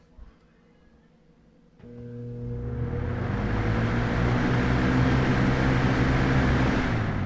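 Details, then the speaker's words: Lasko WeatherShield box fan, bought 2017, startup on low speed: near silence, then a soft hum builds over a few seconds into a steady, even whoosh; normal healthy fan startup. "Okay. Not not really much of a startup sound, but I'll just share with it anyway."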